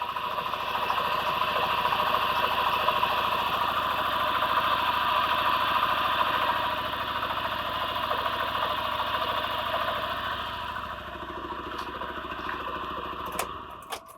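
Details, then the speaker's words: Daewoo Lanos with LPG/petrol: uneven idle with a regular stumble about 3.5 beats per second; oscilloscope shows signal into ignition module but none out on one channel, misfire from failed ignition coil needing replacement. "то есть як бачимо у нас на сюди приходить на роз'єм сигнал А нічого не виходить на ось цей канал то есть розуміємо що у нас котушка під заміну"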